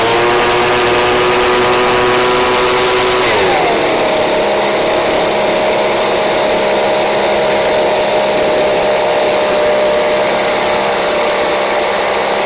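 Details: Craftsman 29cc two-stroke blower, once a no-start missing its spark plug and fuel, now with a Chinese aftermarket carb-kit plug: steady high buzz, then pitch drops and settles to a smooth, even note; runs cleanly.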